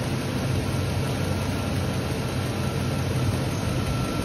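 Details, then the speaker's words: 2003 Chevy pickup, 5.3L V8, with AC blowing warm, short-cycling compressor and fan clutch issue; after the repair and air duct refitted, engine started: steady even rush of air through radiator and fan, no rattle; fan moving much more air. "First impression, you can definitely tell it's moving some more air, just you can hear it, the air volume."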